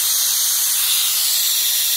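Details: IPR valve from a 2005 Ford F-350 6.0 Powerstroke that quit while driving and won't start, bench tested with air: continuous high airy hiss, no change when 12 volts applied; valve stuck and not sealing.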